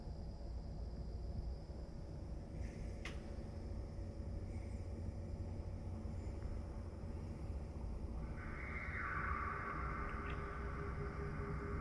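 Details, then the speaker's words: Pecron E3600LFP power station: low steady hum, then a soft even fan whirr starting when inverter temperature reaches about 46–47; normal cooling fan noise. "so that right there that's the fun noise that makes when it hits about 46 47 on the inverter temperature"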